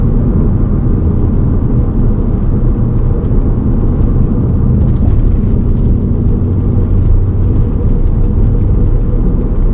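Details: VW Golf MK5 R32 while driving, heard in cabin: deep steady growling rumble from a worn wheel hub bearing.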